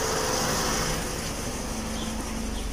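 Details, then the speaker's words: Opel Astra after a piston-ring job, warm idle with the temperature gauge steady at mid-scale, the cooling fan whooshing and no check light. The engine is very quiet and even with no misses or knocks, and is kept under 3,000 rpm during break-in. "y ahorita escuchamos igual nada en el motor. Es muy silencioso este motor."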